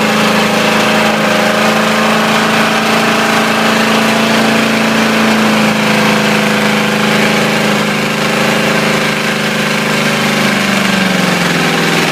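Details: Ford 351W V8 with a spun rod bearing, abused until it dies: steady lumpy idle with a faint rhythmic knock under the exhaust note; rod knock.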